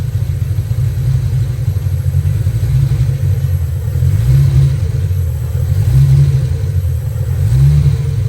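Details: Fox-body Mustang after swapping in a spare distributor and TFI module: the deep exhaust stumbles and drops out unevenly as it revs instead of pulling smoothly. Ignition misfire traced to a faulty distributor; the spare was also bad.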